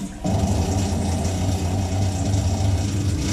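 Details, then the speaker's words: Kitchen faucet hot side on, mistaken for a combi boiler noise: heavy steady low drumming rumble with pipes vibrating, water hammer blamed on the faucet. "that's some sure water hammer right there folks uh here we go let's do this let's shut this off here this is the hot and this is vibrating like crazy and almost positive is the faucet"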